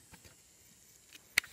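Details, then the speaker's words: Sony PSP 1003 disc drive with irregular faint clicks from the laser and one sharper click; faulty laser, drive motor not oiled, sometimes won't read discs, replacement laser planned. "So it kind of clicks a little bit, the laser. I don't know what's going on with the laser. It's just clicking all the time."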